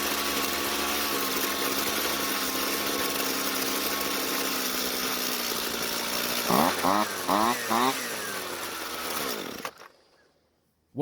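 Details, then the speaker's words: Jonsered two-stroke string trimmer after leaning the carburetor L screw clockwise under a quarter turn: steady high buzz, three quick clean revs, shut off, then it catches again straight away when hot; normal hot restart. "definitely started up much easier but let's try that one more time just to make sure"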